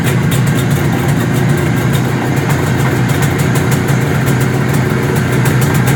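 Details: 1973 IZH Jupiter 3 350cc two-stroke motorcycle with 6-volt system, revived after years unused with points set, carb done and wiring repaired: even, fast popping holding steady throughout, no misses or knocks; normal idle.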